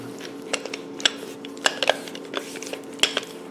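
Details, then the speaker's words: Land Rover 300Tdi front axle CV joint, reported as broken, worked by hand after adding grease: a few light scattered metal clicks from spline play, no grinding or crunch; CV joint judged healthy. "the only sound you can hear is the spline so it's the sir I think this TV's good I'm gonna put it back in"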